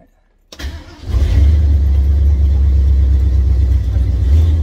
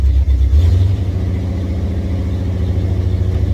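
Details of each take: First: 50-year-old classic Ford Bronco on a cold start: it cranks, catches and holds a steady low rumble with some throttle. It needs a little gas until warm, which is considered normal. Cold start needing throttle. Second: Classic, roughly 50-year-old Ford Bronco V8 with a new battery, running cold: a deep, uneven rumble that surges, then sags and wavers, and only keeps idling with throttle help until it warms up. Weak cold idle.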